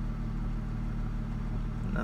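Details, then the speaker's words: 2004 Ford Mustang 3.8L V6 automatic, idle developing after a minute or two: uneven pulses and pops shaking the car, misfire from faulty out-of-box SMP T-Series coil pack; fixed by replacing with standard coil. "it's starting to do it a lot more. And every time it pops, the car shakes."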